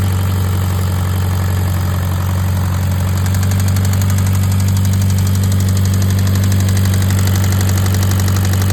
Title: Rod knock?